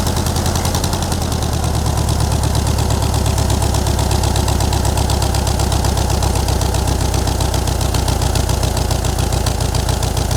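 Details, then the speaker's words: 1960s VW dune buggy, air-cooled flat-four, sitting over a decade, running after ignition and carburetor work: steady low thrumming idle with even firing pulses. It runs and restarts, but the idle speed still needs adjusting. "Got to start it again. We got to mess with this idle a little bit."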